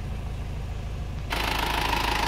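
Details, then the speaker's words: Circa-1997 Isuzu Panther diesel, after fitting a thermostat so temperature can rise: even low thrum at idle with no stumbles or misses, hiss over the second half; idle now smooth. "Nah setelah temperatur itu bisa naik sekarang mesin ini Sudah bisa menjadi rata"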